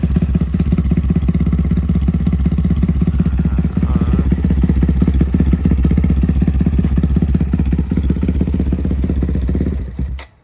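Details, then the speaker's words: Honda Grom with built 205cc engine, first start after oil priming and maps loaded: heavy, laboured cranking under three beats a second, straining against high compression before cutting out; weak battery makes it hard to turn over. "oh the battery's weak but it has a lot of compression so it's it's like kind of hard to turn over"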